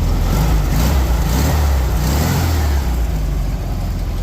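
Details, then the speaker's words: 1973 VW Beetle that would not stay running, after the 1-4-3-2 firing order was corrected and the distributor refitted but not yet timed, in neutral: a deep, even exhaust note holding a smooth rev with no misses; it is now running cleanly. "But oh my goodness, it sounds great. So glad that's all it was. That sounds amazing."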